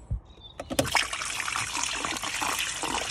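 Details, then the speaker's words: BMW E46 M3 convertible trunk water-leak fix, after clearing the left and right drains: water trickles and gurgles out freely and steadily with no blockage; normal drain flow. "so you hear that um gurgling noise here that's what you want to hear all the water's gone"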